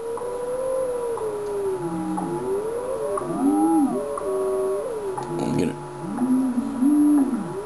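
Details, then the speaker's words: Yaesu FT-101ZD transceiver in tune mode setting dial on 10 MHz station: whistling beat tone slides in pitch as dial moves, dropping toward zero beat when exactly on frequency. "so what we're doing is that we're using the tune button here to generate a tone which is plus or minus when we hear that tone it's it's setting and when it goes to zero"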